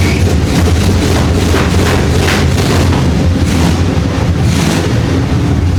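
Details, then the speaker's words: 1975 Chevy Monza 2+2 with a swapped 350 small block V8, sitting 20 years, running after the distributor was found to be the problem: deep, loud, even rumble with a steady lopey beat and no knocks or misses; healthy idle. "Wow! Oh man! That sounds awesome back there. Alright, we'll shut her down. Woo! What a beast. That thing sounds great."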